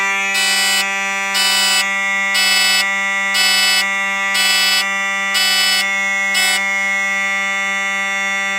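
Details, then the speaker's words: Simplex 4005 fire alarm panel under system test sounding two Simplex mechanical horns together, very loud: steady one-second blasts about once a second over a constant low hum; horns sounding properly, normal operation. "Oh my gosh. That was insanely loud. But it sounded good."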